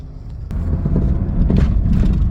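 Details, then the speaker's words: 2000 Chrysler Sebring after fuel pump replacement, first start and drive out of the driveway. A low even engine rumble builds as it pulls away, with no misses or stumbles; it runs okay, though RPM was briefly seen going very high. "Oh, there she is. Oh, she's a runner, folks. Well, folks, seems to be running okay."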